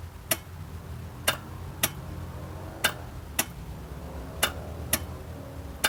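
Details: 1997 Geo Metro no-start: sharp single clicks at uneven intervals, about one every second or two, with no cranking. New starter already fitted and clutch switch bypassed without effect; ignition-switch-to-starter wire reported solid and clean.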